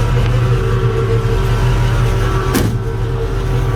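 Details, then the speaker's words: 1966 Mustang V8, cold start around 80°F ambient: steady low rumble, even beat, no knocks, idling about 750 rpm; gear-drive whine from the front and pump audible; normal cold idle, still slightly out of tune. "this thing's a little cold like i said just firing it up right now it is one o'clock in the afternoon but it's only i don't know maybe 80 degrees out right now"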